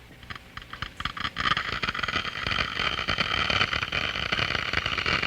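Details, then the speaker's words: Water flowing through a venturi throat: scattered sharp crackles build into a dense hissing crackle as flow rate rises and throat pressure falls below vapor pressure; cavitation, bubbles collapsing release energy. "캐비테이션이 발생을 하게 되면 뭐가 문제냐 버블이 생겼다가 뻥 터지면 풍선이 생겼다가 뻥 터질 때 엄청난 에너지가 방출이 되죠"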